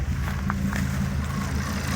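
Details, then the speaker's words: 2006 Volvo XC70 after engine rebuild, code P0016 (intake cam), still a little cold: low uneven idle with irregular stumbles and skips, getting worse as revs drop toward idle; cause unclear, intake cam part swapped and timing rechecked. "Hear it now. It's trying to come down to idle RPMs. Is getting even worse."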